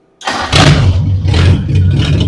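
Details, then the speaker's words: 1941 Ford Flathead V8 out of the car on a cold morning, running on the center carburetor only, oil filter setup that robbed pressure removed, timing untouched: starts in a quarter turn, steady even rumble; normal cold start. "a quarter turn wait a minute I didn't hear it crank at all no a quarter turn is enough to start a Flathead wow there's no reason to crank it"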